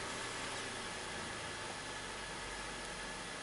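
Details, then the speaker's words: 2013 Chevy Impala idling after repairing a rubbed-through fuel pressure sensor wire shorted to ground (code P018C), battery seems weak: steady even idle with a light hiss, no misses; fuel pressure near the desired 57. "start the car sounds like the battery is getting a little weak [Applause] and we should have a good reading from our fuel pressure sensor"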